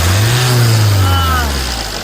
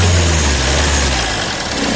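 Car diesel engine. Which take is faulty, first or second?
second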